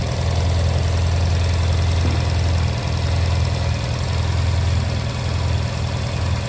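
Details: Honda Silver Wing twin after new spark plugs fixed a no-start, before idle and throttle synchronisation adjustment: steady, even low rumble at idle, no knocks, misses or surging; normal idle.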